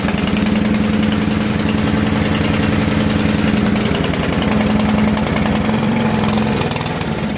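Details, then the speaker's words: Three-year-old Briggs & Stratton 27-inch snowblower started cold at minus 20 with choke and prime, high-octane gas: single cylinder fires and settles into steady even chug, three to four beats a second, running clean. "as you can see it was pretty much a cold start you don't need this selected start as long as you have everything set up on the machine properly"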